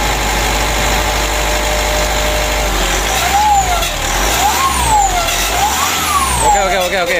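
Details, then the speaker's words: 2012 Mitsubishi Pajero Sport Dakar diesel with a rough engine noise, revved with throttle blips: turbo whistle rises and falls with a scraping edge; mechanic judges the turbine is rubbing, suspecting ingested foam or debris damaged the turbine wheel. "sudah selesai kita dengar ya itu kalau dikasih itu seperti ada sentuhan benda begitu Lur menggesek ya jadi menurut saya pada turbonya ini"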